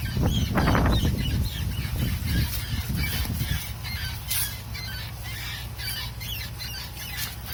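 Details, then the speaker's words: Mitsubishi Montero Sport, rear wheel area: chirpy squeak about three times a second that follows wheel rotation, only when reversing; forward at any speed is fine. Also heard from the left side; cause not found. "такая проблема при езде назад раздается скрип причем скрип зависит от оборот колеса частота скрипа вперед едешь при любой скорость все нормально"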